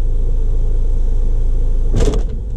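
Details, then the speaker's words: Passat Tiptronic automatic: steady idle rumble, then one heavy thud about two seconds in as reverse is selected; the gearbox engages far too harshly and the gear display goes into emergency mode. Harsh engagement into reverse. "um tranco muito forte mesmo."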